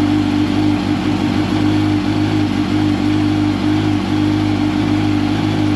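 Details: 2005 Yamaha R1 after faulty starter replacement for hard starting, oil refilled: engine catches and settles into smooth steady idle, even hum, no grinding or clatter; starter sounds much better, normal running after start.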